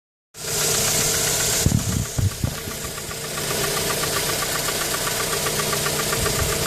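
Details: Mazda 3 petrol engine idling with a steady light knock, roughly four taps a second; noise appeared after changing spark plugs, and the engine also misfires when stationary.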